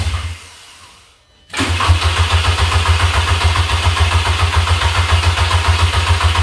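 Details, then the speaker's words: Big-turbo Jetta project car after exhaust work: cranks, fires, then idles with a pulsing, uneven beat about 3.5 per second; owner suspects injectors running too rich again. Rough running. "it started earlier so I bet it's running too rich again those injectors"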